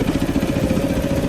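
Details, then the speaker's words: Motorcycle idling high at about 1700-1900 rpm against a 1500 rpm spec makes loud fast even ticking and runs poorly; owner suspects the valves need adjusting again, not confirmed. "d but the the engine is just running like crap it's ticking quite loudly so that's indicating to me that the valves once again need to be adjusted"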